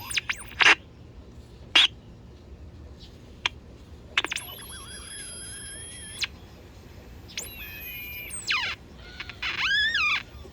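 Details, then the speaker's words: Vintage Sunmark 10-transistor AM/FM pocket radio on 9 V battery, AM band: high whistling tones slide and hold between sharp pops while tuning; squeal from bad AVC filter capacitors, low audio from bad coupling capacitors. "so sounds like we have bad capacitors a bad avc filters causing it to squeal and bad coupling capacitors are causing the low volume low audio"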